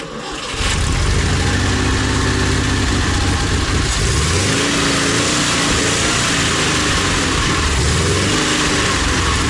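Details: ZAZ 968M restarted after sitting, with the fuel pump repaired and carburetor adjusted: starts promptly, revs briefly, then holds a steady, even idle with no knocks or stumbles. Normal start and idle.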